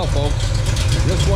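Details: Pontiac 421 bored .030 over with '69 big-valve heads, restarted after 7 years, warm at 170° and 40 psi oil pressure, just under 800 rpm: deep, steady, slightly lumpy idle, no knocks, ticks or smoke. Normal idle.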